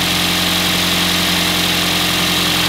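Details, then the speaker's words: Four-cylinder engine at normal idle during a coil-over-plug power balance test, before any coil is unplugged: steady, even, smooth low hum with no misses or stumbles, all four cylinders firing cleanly. "the engine has a certain rpm and it runs a certain way nice and smooth when all four cylinders are running"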